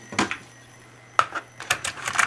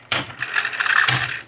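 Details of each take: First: Tandberg TCD310 cassette deck, cover off: sharp clack as the play solenoid engages, then light mechanical clicks with no motor or tape hum; the capstan does not spin because the drive belt came loose. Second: Tandberg TCD310 cassette deck with the cover partly removed, in fast forward: a quick click, then about a second of fast, airy whirring as the tape spools hard; the transport winds normally and strongly.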